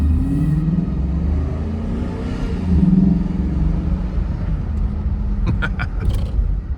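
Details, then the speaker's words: 2014 Ford Expedition, Coyote-swapped with an electric rack and misfires fixed, on its first drive around a lot: a deep, steady roar swells under throttle and dips through shifts, with intake noise loud over the road. Sounds healthy. "I can hear the intake over everything. Especially in the midshift. It was kind of interesting hearing the throttle shut versus when you just hear exhaust on a Mustang."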